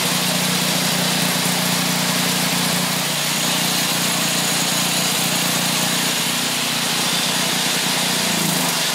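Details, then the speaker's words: Craftsman snowblower's Briggs & Stratton 8hp OHV single on a little choke, flushing milky water-contaminated oil with used oil: steady even fast beat, no stumbling or surging; running really good. "she's running really good"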